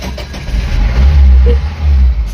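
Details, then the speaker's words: Mahindra Bolero Maxx Truck Plus BS4 diesel after a fuse fault was fixed and the software reset errors cleared: a brief crank, then the engine catches and runs with a steady deep rumble and no stumbling; starts normally. "मैंने engine start करने की कोशिश की और car चालू हो गई। मतलब हमारी समस्या सिर्फ एक फ्यूज में थी।"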